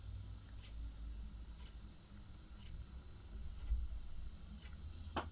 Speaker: то есть практически не практически А ничего не слышно